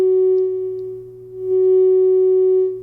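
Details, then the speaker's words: Amplifier after the scratchy controls were cleaned with contact cleaner: a clear, steady test tone rises and falls in level with no crackle or scratch; the controls are clean and quiet. "so you can see no more problems with noise all the controls are nice just turn that down that's the main right there so no problems with the controls they all cleaned up really nice"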